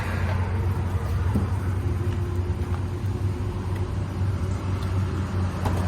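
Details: Ford Galaxie with new battery, gasoline poured down the carb: steady low churning crank for six seconds with no firing pulses; cranks but won't fire, lack of spark suspected.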